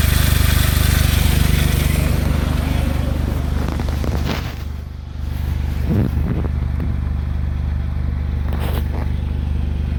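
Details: Smart Roadster small petrol engine running with a fast, fairly even ticking clatter over the exhaust note; owner asks if normal, suspects valves or timing chain.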